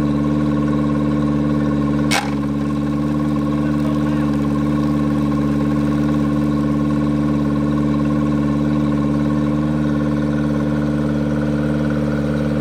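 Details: Yamaha 90hp four-stroke outboard just swapped onto an 18ft G3 boat in place of a 60hp two-stroke, first start. Holds a steady, fast, even speed in neutral and never drops back; idle is far too high because the throttle linkage is out of adjustment.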